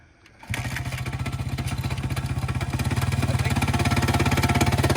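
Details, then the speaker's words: Honda XR100 or Yamaha TTR90 pit bike after a spark plug change: small single thumps at idle with a sharp knock on each firing; rider suspects lower rod bearing, unconfirmed. "It'll even out. It's just the idle. I think it's just the lower rod bearing. It ain't a big deal."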